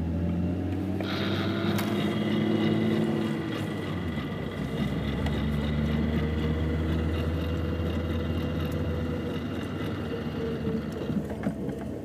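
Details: Mk3 VW Jetta VR6 rolling, with faint, irregular clicks and a light grind from the driver's front wheel that come and go with wheel rotation; owner suspects the axle or wheel bearing, unconfirmed.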